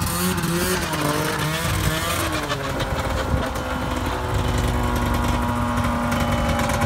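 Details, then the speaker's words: Arctic Cat Pantera 580 EFI snowmobile being repaired for not shifting into forward: the engine revs under a whining hum that rises and falls with speed, plus a steady screech in forward only; reverse runs smooth; track not overly tight; cause unknown. "i guess i'll have to look in to see why that uh got that bad uh humming sound screeching sound and forward"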